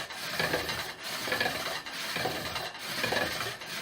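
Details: Pump drill with a circular-saw-blade flywheel, fire-making on a yucca spindle: steady rasping strokes about once a second, each swelling and fading as the spindle spins back and forth, biting well; normal friction, producing a coal.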